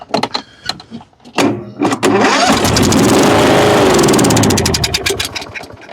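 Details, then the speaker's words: Kohler Courage on a Husqvarna riding mower, cranks but no start, with a clean-looking carburetor: after a shot of spray into the intake with the air cleaner off, it fires, runs ragged a few seconds, then dies. Spark and compression are good, so it's fuel starvation. "runs and dies it's a fuel issue so I know it ran or at least he told me it did do day and it shut off"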